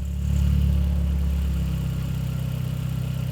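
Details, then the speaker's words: Mk4 VW Golf GTI 1.8T, modified, warming up: steady low idle with soft puffing pulse about four times a second; smells very rich, owner suspects exhaust leak around the middle. "Maybe worth mentioning that it smells incredibly rich, richer than I remember when I first modified it. So, that leads me to think that we do have some kind of exhaust fleet around the middle."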